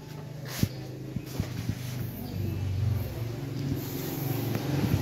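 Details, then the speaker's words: Suzuki Alto with crank-no-start from low fuel pressure, poorly seated fuel pump and torn rubber seal, after resealing and refitting pump and tank: a few sharp clicks, then a low rumble builds and holds; normal engine start. "Tapos napaandar na rin natin yung unit So okay na yung unit umaandar na"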